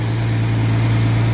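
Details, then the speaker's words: 1989 Jaguar XJS 5.3 V12 after fixing cut-out/no-start: crank and flywheel sensors replaced, intake air temperature sensor wiring repaired, coolant temp sensor jumper removed; steady deep even idle with no misses or knocks, revs fine. "So, let's see if it starts and starts smoothly. Yes, that's much better."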